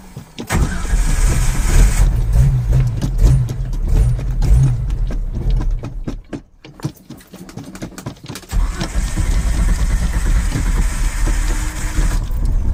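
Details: Carbureted Ford Ranger truck on a cold morning start, gas pedal being pumped: the starter grinds the engine over in uneven bursts with brief catches, but it never fires and runs. Long crank, no start; owner suspects fuel starvation, not confirmed.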